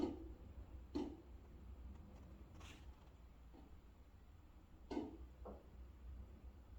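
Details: Master ensuite exhaust vent making soft, uneven taps about once a second over a low steady hum; something loose inside is suspected, not confirmed.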